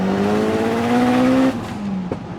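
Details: Engine of a Talon making about 530 hp on the old clutch and flywheel (fine for 350 hp) pulls cleanly in second gear under lighter load, pitch climbing steadily with no rev flare; clutch grips here though it slips in higher gears.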